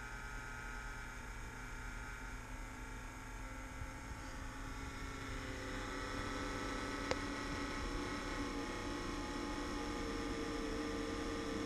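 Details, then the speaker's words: Kodiak exhaust fan running normally after about a minute of loud racket on a cold start at 37°F: a soft, steady hum with faint whirring tones; the noise returns below about 60–65°F. "so there we go the noise is gone now now it's operating normally"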